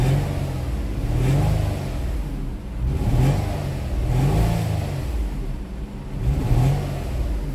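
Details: Nissan Maxima misfiring with no fault codes and the check engine light not flashing; power balance test on cylinder 2 made it worse. Revs rise and fall with an uneven, stumbling exhaust pulse: a misfire from a faulty ignition coil boot.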